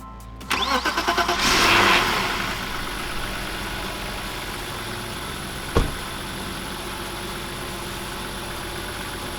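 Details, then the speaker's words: 1995 BMW E36 325i: cranks, catches and holds a fast, steady idle around 3000 rpm; unmetered air from a cracked intake boot between MAF and throttle body, with a rusty, clogged MAF; boot replaced and MAF cleaned. "this boot is causing a lot of our running issues right now it's causing a lot of an idle issue up to a very high idle issue we're idling at 3000 rpms that's all because of those cracks in the boot"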